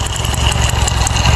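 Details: 2008 Honda Titan 150 carbureted, just reassembled after engine work, first start: small single-cylinder idling with a steady, even beat and only a faint light tick on top; sounds healthy.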